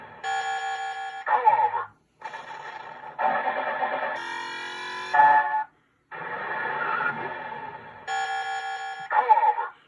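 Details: Williams High Speed MPU pinball, after U5 LM1458 op-amp and sound-board filter caps replaced for very low volume: loud, clear electronic effects in bursts of tones and sweeps every couple of seconds; normal volume restored.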